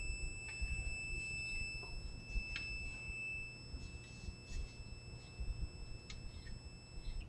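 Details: 1963-64 GE AM/FM radio model T238B, multimeter on continuity on the tuning capacitor rotor; steady high beep holds about three seconds then stops, so the tuning capacitor is shorted and must be cleaned up before continuing.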